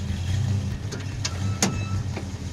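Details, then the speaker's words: Red Duster on a road trip, after retorquing a loose rear wheel: still squeaks while driving, sharp chirps about twice a second over low rumble, confirmed rear axle bearing; needs press and new bearing. "Yep. There it is. It's totally an axle bearing."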